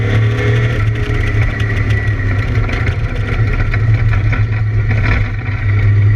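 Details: ABR Camaro race car on track, misfiring under load, cause unknown: deep, heavy engine drone with a slightly ragged, uneven pulse beneath it.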